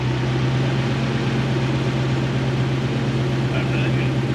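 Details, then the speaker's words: Toyota 1UZ-FE V8 in a Hiace van, tune unchanged but idle speed and wiring sorted: deep, steady, even burble with no stumble, where before it was chuffy out the exhaust; now idles smoothly. "done nothing to the tube and look how it runs by sorting the wire you've got idle speed and wiring and it sounds like that whereas before it was chuffy out the back and would hardly read properly"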